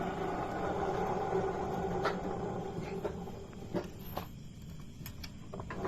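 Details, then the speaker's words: Yamaha Mio S 125 scooter with the CVT cover removed: a rough, snoring growl from the spinning rear pulley that fades as it slows. The noise was traced to worn rear pulley bearings. "dan ini ya ini ada bunyi kasar di bagian Speedy dan punya ini seperti bunyi ngorok gitu ya teman-teman sembunyi apa ya Bunyi kasarnya itu seperti bunyi ngorok gitu ya"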